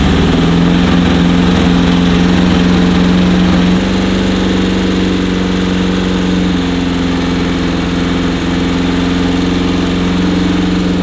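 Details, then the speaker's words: VW Type 1 engine in a sand rail, after carb adjustment: fast, steady, even idle that barely settles. Idle speed is still too high. "Yeah, that sucker's revving high, isn't it?"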